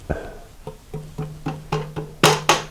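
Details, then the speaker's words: 1983 BMW R80ST front forks, glass plate clamped on a fork leg and tapped top to bottom: the right leg's later taps ring clearly, showing that leg is pushed back out of line. The left leg is in line; a 2x4 and rope pull the right leg forward. "That means that the right leg is pushed back."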